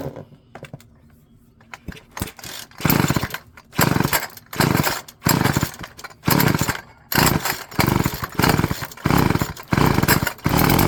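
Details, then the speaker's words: Old Stihl FS36 two-stroke string trimmer, with gasoline-oil fuel in the tank and no water: catches in short revving bursts about once a second, then dies each time. Owner suspects failed fuel lines and plans a carb rebuild. "I wouldn't be too surprised if it's just fuel lines on this one, but if it's going to be just fuel lines, might as well go through the carb too."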